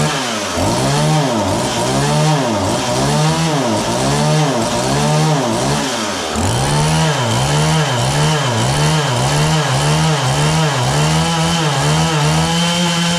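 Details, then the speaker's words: John Deere CS40 chainsaw after a replacement chain oiler was installed, possibly not fully warm: repeated throttle blips where revs sag and rise lazily instead of snapping up. It idles fine but bogs on throttle. Owner suspects the carburetor high-speed adjustment; not confirmed. "It only bogs down when I give her the onion. It idles fine. It's just when I give it throttle."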